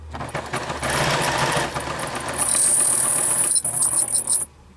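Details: Pfaff sewing machine about 26 years old, once serviced after something locked in its wheel: fast steady needle-drive clatter, then a thin high continuous squeak rides over it for a couple of seconds; squeak, source unknown.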